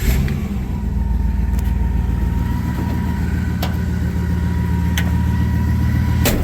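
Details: 1961 Buick Skylark engine after repairs to oiling problems, first startup; steady, even idle with smooth low rumble and no knocks or misses, normal idle.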